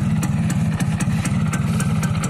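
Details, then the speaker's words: Rough, fast two-stroke popping idle with a slightly uneven beat on a 2002 F1ZR Caltex Special Edition H2K. The bike is 20 years old and its engine has never been rebored ("OS 0"), on a standard exhaust; the slight roughness is put down to age. "Oke, seperti itu ya, kasar-kasar dikit lah OS 0. ...20 tahun ya, motornya udah 20 tahun. Udah tua, motor tua."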